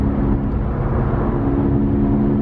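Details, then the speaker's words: Worn Honda Civic cruising, rear right wheel bearing suspected: a steady low hum over road and tyre noise. Steering left makes the sound go away and steering right intensifies it. "sound goes away and if I turn the sumo to the right it intensifies so that means when you turn the car to the left naturally the left side kind of picks up a little bit which releases pressure from the tires"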